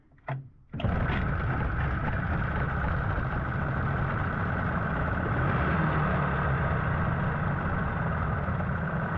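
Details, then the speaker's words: 15 hp Mariner outboard that sat unused 2 years, just after carburettor clean: fires up and settles into a steady, even idle with no misses or surging while warming up; telltale flowing, not yet happy in gear. "Let's just let it warm up for a little bit."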